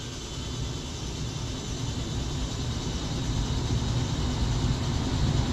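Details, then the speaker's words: After a reboot on tap T3, the blower motor in a new Goodman heat pump replacing a Trane ramps up with a smooth airy whoosh, no rattle or squeal; normal operation. "And it should come on, and we'll know when it's coming on. We'll hear that damper right there. Bingo. So I hear the motor ramping up."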